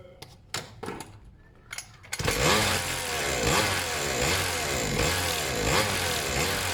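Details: Serviced pit bike / mini moto two-stroke fires after a few pulls and settles into a loud, slightly lumpy but steady idle while idle is set; slightly smoky, owner plans inline fuel cut-off; normal idle.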